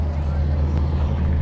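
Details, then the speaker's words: Ford pickup, extended cab, running at auction over crowd noise: deep, steady low rumble with even firing and no knocks or ticks; engine runs smoothly and sounds pretty good. "pretty good pickup sounds pretty good sounds pretty good"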